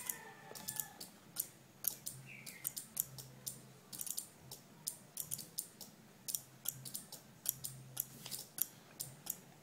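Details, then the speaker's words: Two relays in a capacitor-driven flip-flop on perf board alternating green and red LEDs as capacitors charge and discharge: sharp light clicks several times a second over a quiet background; relays switching normally. "so you can see the ticking sound of the relay the time that the capacitor one is studying the word other one is distorting that's why LED is helping this alternate lights turning on and off"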